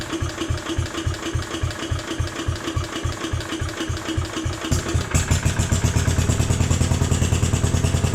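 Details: Jacobsen Chief 1000 tractor, Kohler single-cylinder (K241 fuel system work), after draining gas and new fuel line: about five seconds of slow even cranking, then fires and settles into faster steady beat; took a few cranks to get gas flowing, runs normally.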